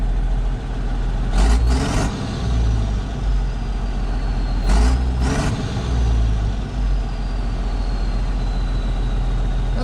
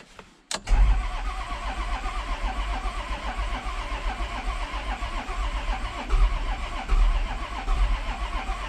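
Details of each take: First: 1994 Isuzu cab-over diesel truck that sat for 3 years, idling with a steady, even low rumble and short air hisses; the owner thinks added fuel additive helped it run well. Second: 1994 Isuzu cab-over diesel truck, sitting for 3 years, cranked after cleaning the battery terminals: steady, fairly brisk cranking with even compression pulses but no firing; cranks without starting, fuel not yet reaching the injectors.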